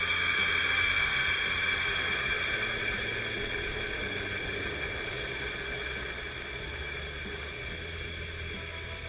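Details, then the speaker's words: 12V lawn-and-garden water pump switched on: a steady hiss of air rushes out of the 70 ft well line and slowly eases off with no sputter or knock. This is a normal purge as the line fills. "we'll turn on the switch now you should be able to hear that air coming out of the pipe for 70 ft"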